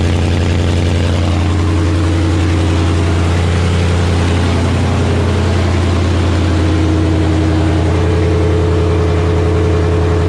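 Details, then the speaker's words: 1984 Fox-body Mustang with swapped Gen II Coyote V8 from a 2017 Mustang GT, just fired up, no coolant yet; strong, steady V8 idle with deep even rumble, no misses, knocks or ticks, sounds good — normal idle. "Fire right up, sound good though."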